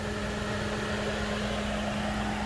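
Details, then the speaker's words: 2012 Hyundai Santa Fe radiator cooling fan running on high speed, powered by manually jumping the relay connection during fan fuse and relay troubleshooting: a strong, steady low hum over an even rush of air with no wobble or rattle. "And now we can see that the fan is moving at a higher clip."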